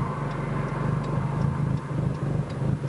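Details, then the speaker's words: Tuned 2006 Nissan Sentra SE-R Spec V (built head, cams, Uprev tune map 2) that randomly dies at idle: low exhaust surging and dipping about twice a second; rough idle. "Now it does have a pretty rough idle on this one."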